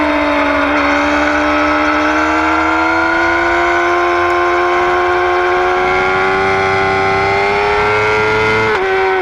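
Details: 2009 Yamaha R6: clear, steady whine rising slowly in pitch as revs climb, then dropping off; source unknown.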